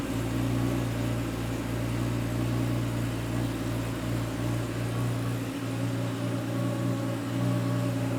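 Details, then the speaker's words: Normal warm-up idle of a 1987 Porsche 911 Carrera 3.2 engine on a test stand after the flywheel rpm sensor gap was adjusted: steady, even hum at a consistent 1100 rpm, no stumbles or misses. "I'm pretty consistent at 1100 which is pretty normal for the warm-up"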